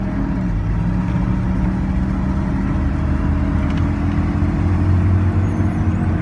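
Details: After an epoxy repair of an exhaust manifold collector leak, the engine idles with a steady, even low rumble; only the rear mufflers are heard, no ticking or puffing at the manifold; repair holds, runs clean.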